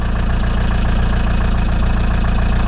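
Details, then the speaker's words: VW T3 camper with AHU TDI diesel, idling without revving after a turbo replacement so the turbo is bathed in new oil: steady, even diesel clatter with no knocks or misses. Normal idle; a leaky injector was noted separately. "I let it hide off for a while before I do any sort of revving or anything like that just had to Turbo bathe in the new oil"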